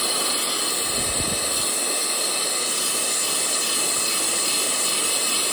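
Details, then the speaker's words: Laguna Tools vacuum inverter on compressor hose: valve closed and off, yet a constant sharp hiss with no motor starts as soon as the hose is plugged in; air steadily leaking at the fitting. "The valve is in the closed position right now, and what happens is once I plug the thing, it just starts leaking air."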